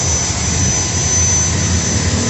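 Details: Maktec MT90 angle grinder on its final test after repair (before, a worn armature commutator caused big sparks and weak power): a steady, even high-speed whir held level throughout, with no sputtering, surging or dropouts; normal running.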